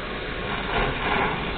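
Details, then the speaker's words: Well pump station with a digital pressure regulator in the kitchen, a Chinese motor fitted, and a check valve that holds pressure: when the tap opens, water comes with air in rushing, uneven surges as the station sucks air. "слышите вода с воздухом поступает в общем если дольше подождать"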